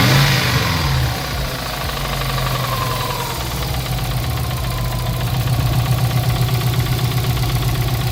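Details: Subaru WRX with swapped JDM engine, just refilled with new oil: rough rapid knock about four per second under exhaust drone at idle, suspected bottom-end knock; owner suspects oil pan/sump starving oil, unconfirmed.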